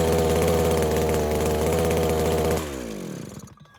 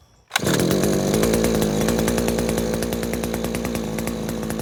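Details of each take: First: New Henghai 2.5 HP air-cooled Chinese outboard, first start out of water: small two-stroke buzzes steadily, then speed drops and it winds down to silence as choke is fully opened; owner suspects not warmed up enough. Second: New Henghai 2.5 HP air-cooled Chinese outboard, first start out of water, now warmed up: loud, buzzy two-stroke holding steady pitch, no stumbling or misfire; normal warm idle.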